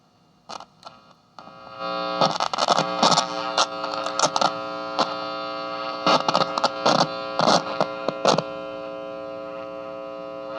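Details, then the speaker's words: Mid-1970s Eico model 150 solid-state signal tracer after power supply service; faint constant low hum under output with crackles as the possibly dirty plug and socket are handled; source unconfirmed; mains hum. "I can get up next to it and it's only the tiniest little bit of hum there"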